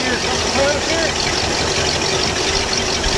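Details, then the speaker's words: Ski boat inboard on the trailer after replacing a failed Velvet Drive 1:1 transmission with a new ZF 1:1, strut bearings wetted with soapy water: steady engine run with a smooth even note, no clunks or grinding; healthy. "Yeah, we're in good shape there. Everything's looking good."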